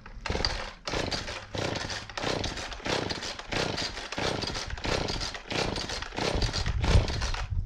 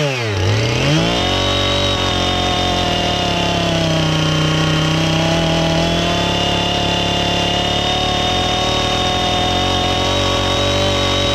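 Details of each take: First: Husqvarna 450 X-Torq chainsaw that won't run, first start attempt before diagnosis: fires in uneven surges about every second, revving and sagging without settling; rough running, cause not yet found. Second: Husqvarna 450 X-Torq chainsaw that wouldn't run, new chain and bar fitted, started to check and adjust the carb (special adjusting tool bought): quick rev-up to a high, even buzz holding steady without bogging or surging; healthy chainsaw running.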